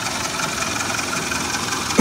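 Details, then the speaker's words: 2001 Suzuki Katana GX (SJ410) used car: even, stable idle with a soft steady beat, no knocking or misfire, then a short bump at the end; engine runs smoothly. "Coba kita nyalakan mesinnya. Mesin halus teman-teman."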